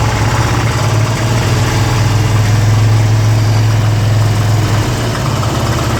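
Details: 2002 Harley-Davidson Ultra EFI Twin Cam V-twin at idle; lumpy idle with steady low drone and an uneven extra thrum underneath; abnormal engine noise, cause unknown.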